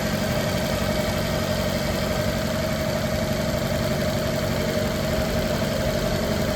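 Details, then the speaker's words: 2021 Maruti Suzuki Dzire petrol/CNG at cold morning idle with raised rpm and check light on: uneven, lumpy beat and engine vibration; cylinder 2 misfire (P0302, P0300, P0171), attributed to a faulty ECM. "Vibration तो है engine के अंदर। Vibrate हो रहा है।"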